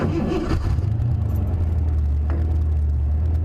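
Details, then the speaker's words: Cougar, after fixing a major misfire, started and idling with the camera on the dashboard: it catches quickly and settles into an even, smooth, low idle with no stumble. Owner saw oil deposits on the plug and suspects a valve train issue. "Oh yeah, she's running real smooth now. She's running nice and smooth."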